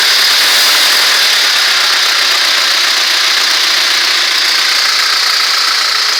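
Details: ZMZ-406 carburetted engine running steadily: suspicious dull, fairly regular knock about three or four per second under a hissy background; source not identified.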